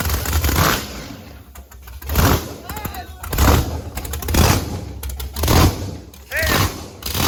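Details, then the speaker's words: Chevy Blazer race truck with a Texas Speed supercharged (blower) engine running on meth, being revved: each rev brings a short chirping squeal rising with speed as the blower belt skips, because the belt tensioner keeps coming loose. "We're gonna have to drill that out and put set screws in it. Our freaking tensioner keeps coming loose."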